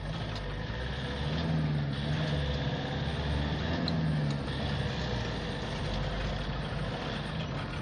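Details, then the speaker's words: Toyota D4D pickup diesel with a rebuilt manual gearbox, shifted from first up through 4th and 5th and down again. Steady rumble with no grinding, crunching or clunks. Gears shift cleanly. "ይኸው 4 5 ለቅ ወደ ኋላም ሲቀናነስም አሪፍ ነው። ይሄው ያላችሁ አሪፍ ነው በጣም።"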